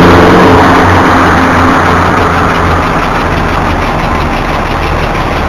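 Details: BMW E46 at start-up: a loud, quick light ticking, roughly four per second, audible from inside the car, over a steady cold idle that settles slightly. It usually stops after a few seconds but sometimes lasts over a minute; cause unknown.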